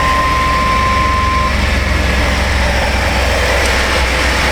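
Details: 1996 Chevy Astro van V6 idling after replacement of a leaking spider injector that had caused misfires and very rich running: a steady, even low rumble with no misses, ticks or hunting. Fix confirmed; normal idle.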